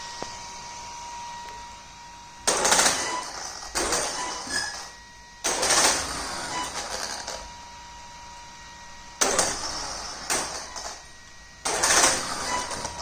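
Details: Traxxas X-Maxx 8S with a Hobbywing Max6 G2 ESC driving the stock sensorless motor, wheels installed: uneven bursts of harsh chatter every second or two over a thin electronic whine; the motor stutters/cogs at low throttle.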